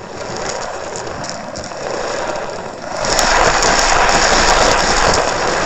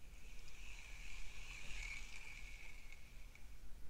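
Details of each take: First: Shimano Stradic 5000 FK spinning reel, formerly seized and rusty, cranked by hand: rough, gritty grinding with rapid ratchet-like rasp growing louder with faster cranking, feels geary; usually caused by worn bearings, possibly a broken gear; needs full rebuild. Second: Recently serviced Shimano Stradic 3000 spinning reel, cranked as a comparison. A soft, even whirr while cranking with just a faint light hiss and no grinding or clicking; runs smooth and quiet.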